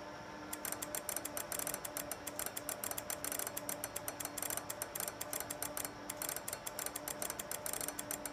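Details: Ameritron ALS-1300 solid-state HF amp with Gigavac GH3 vacuum relay QSK mod (~6 ms), full break-in keying slowed to about 33 wpm contest speed; fast crisp clean relay clicks in Morse-rhythm bursts, normal keying.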